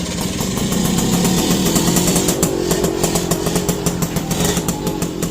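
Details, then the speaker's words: Yamaha V75 two-stroke with the engine just taken down to fix a crankcase seep, where a worn crankshaft turned up. On a clutch test the engine revs loudly under throttle but the bike won't pull: severe clutch slip, like worn-out clutch plates. "Oh ini parah, selipnya parah banget teman-teman. Jadi masalahnya gitu loh."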